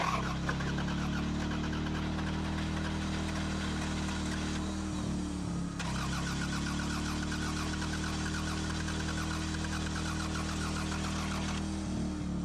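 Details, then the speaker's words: 1998 Toyota Camry, crank no start after a mobile mechanic replaced a snapped timing belt. The starter cranks and the engine briefly catches, then fails to start. A misfire is heard from a cylinder with a ripped plug boot; new plugs and wires are planned. "I don't know it's not it like caught for a second but it's not starting I mean I definitely hear the misfire from this one that's missing the piece"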